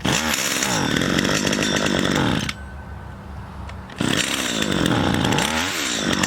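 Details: Garbage-picked STIHL two-stroke pole saw after a melted leak repair, cutting a branch: it revs up crisply, bogs slightly into the cut, drops to a steady idle, then pulls cleanly again; runs healthy.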